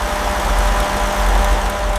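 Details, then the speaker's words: Restored 1965 Rolls-Royce Silver Shadow starting for the first time after restoration; steady, even low petrol idle rumble with no knocks or misses. "After everything, the engine finally starts again. Listen to that smooth idle time. Pure restored luxury."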